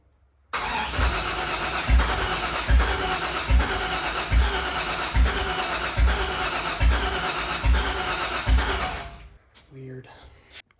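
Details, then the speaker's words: 1968 Ford F100 with LS swap, first start attempt, throttle wedged open, mass airflow sensor and other sensors unplugged: steady cranking with a heavy thump about once a second for eight seconds, firing on one cylinder only, dumping too much fuel. "all right so the first time I tried to fire it up it was just hitting on one cylinder every time and I was missing a bunch of sensors and stuff but you know I thought it would still run like that but I was wrong it was just dumping way too much fuel to run"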